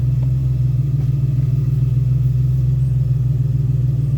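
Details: 2001 Ford Ranger XLT 4.0 V6 that is hard to start only in the morning, idling after starting: a low, even rumble pulsing about 3.5 beats per second, no knocks. It runs and drives normally once started.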